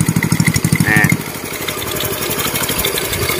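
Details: Customer's Indonesian Honda Win single-cylinder motorcycle after engine rebuild and test ride, clutch rebuilt, idling: even quick thump with no rattle from the clutch side; smooth and quiet, no clutch whine, normal idle.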